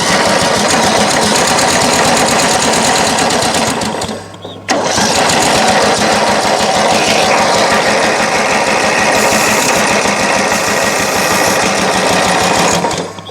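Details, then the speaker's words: Craftsman LT1000 mower, crank no start, on choke with carb cleaner sprayed in: steady cranking with a brief firing stumble then keeps cranking; owner suspects the carburetor fuel solenoid. "i don't know if you heard that but it did fire very briefly but it fired"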